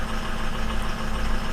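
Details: 2004 Ford F-250 diesel idling after a crank-no-start was fixed with a new BulletProof Diesel FICM power supply for low FICM voltage; IPR about 51%, FICM voltage 47.5–49, ICP about 1,320 psi. Deep, steady idle, no misses or knocks. Normal.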